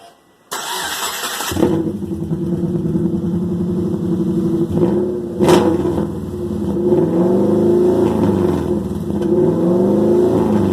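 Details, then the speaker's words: Loud harsh open-exhaust bark with brief rev blips on startup: a Subaru Forester daily driver whose broken exhaust has the muffler and tailpipe removed, leaving an open header with only the catalytic converter. It was revved only lightly. "okay so as you could tell that was really loud and really not want the cops call on me"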